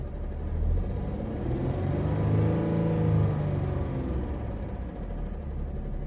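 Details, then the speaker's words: Dodge Charger 3.5L V6 heard from inside the car: light, quick ticking over a low, uneven idle rumble; diagnosed as worn rocker arms. "I hope you can hear that dick I will go outside now so you can hear it better so this love song enjoy speaking noise those are the rotor arms and the very common being on this engine"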